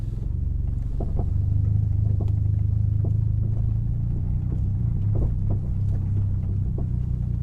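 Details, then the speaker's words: MK4 Golf GTI on Raceland coilovers fitted about 4 years ago, reversing slowly up and down a driveway: low engine rumble with faint, uneven light taps about every second from the rear; knocking from badly worn rear shock absorber bottom bushes. "To me, I can hear it quite loud, but if I try and go back coasting, or even if I kill the engine, it's quite noisy."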